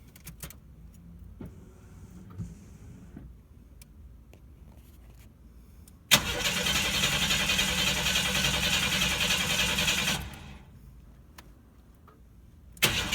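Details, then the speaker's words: 1992 Chevy S10 Blazer with TBI, fuel pressure test: steady fast cranking at a few turns per second that never catches; gauge reads zero fuel pressure, fuel pump dead, crank no start. "okay I got no fuel pressure I hooked this up wrong or and I have my fuel pumps dead"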